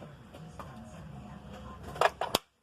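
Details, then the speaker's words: 2006 Chevy Cobalt no start, no crank: key turned, a couple of sharp clicks then silence with no cranking; starter motor is dead and will be replaced. "You can see there the starter's wasted. Pretty cool. So this one's going to get a starter."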